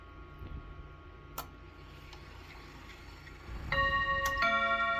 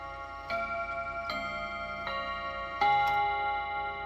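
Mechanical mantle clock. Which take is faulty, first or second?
first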